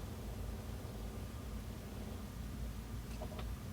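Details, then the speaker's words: Sony PS-LX300USB turntable, not spinning, motor very loud before: after one drop of oil, only a low even hum with no clicking or scraping; motor now runs silent. "listen to that it's silent now one drop of oil listen look at that totally silent absolutely incredible"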